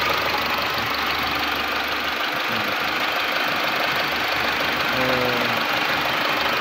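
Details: 2013 Mitsubishi L200 diesel with a P0335 crank angle sensor no-start issue: it starts and settles into a steady, even idle with the usual light clatter and no stumbling. Normal idle.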